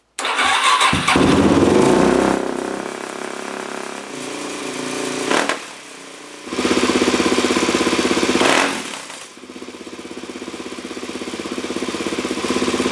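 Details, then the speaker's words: 2004 Suzuki DRZ400S with weak power, surging and bogging, on a 32.5 pilot jet with the fuel screw at 1.5 turns out and an open exhaust: it starts and revs, then pops loudly on decel. Still backfiring, not fixed; spraying for air leaks didn't change idle. "It's still backfiring. I mean, it's okay if there's a little bit with this open exhaust, but it's still popping pretty loud."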